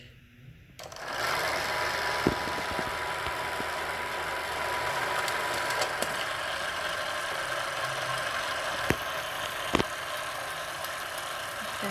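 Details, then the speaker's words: Arri 35mm film camera after re-threading with 400T film: even fine mechanical whir with steady light patter, no catches or knocks, seemingly a little quieter than after the first threading; transport running normally. "I think that sounded a little bit quieter than before so just want to show you that again"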